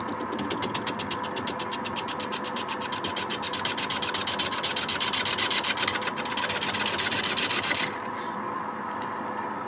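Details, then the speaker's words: Record wood lathe turning a wet quilted sycamore bowl blank with the headstock swung out: fast rhythmic scraping with a wavering warble; the cause of the vibration is unclear, suspected tool-rest contact or a blank too wet and heavy. "something's wrong here this warbling sound vibration is some kind think something was touching the tool rest I don't know what cannot see what's wrong here"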